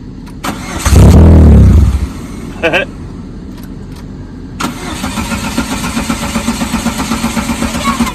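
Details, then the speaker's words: 2001 Chevrolet Cavalier, abandoned, new fuel pump and filter, restarted after driving home: brief crank, catches, uneven pulsing idle about three beats a second, lots of smoke; owner suspects intermittent wiring harness fault, radio also without power. "Ruh-roh, Raggy! Look how much smoke you made. I think we've got another harness issue somewhere because it's intermittent."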